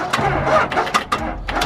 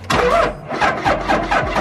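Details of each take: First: Dodge Ram 2500 Cummins diesel pickup, cold start after sitting all winter with dead batteries: a few uneven labouring cranks and stumbles that never catch and run, as flat batteries leave too little cranking to fire. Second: Dodge Ram 2500 Cummins diesel, sat all winter, cold start boosted with Noco Genius pack: slow cranking pulses about 1.5 s, then catches and settles into steady even idle rumble; normal cold start.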